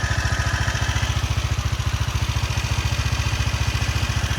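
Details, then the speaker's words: Honda CG Titan single-cylinder motorcycle idling in neutral, recorded close to the engine: steady idle with a faint deep rattle in each beat; owner attributes the noise to worn piston rings, last adjusted almost a year ago. "Tem um chacalhozinho fundo."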